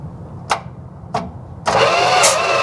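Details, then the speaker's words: 1973 Dodge camper pickup with a big block, not run since 1998, cranked on a jump pack during a thumb-over-plug-hole compression check: a couple of clicks, then a strong, even chug on each stroke. Compression is healthy. "yeah, that's really good. I can hear it. Yeah, it's good. Oh, really good. That's a killer. Yeah, that's really good."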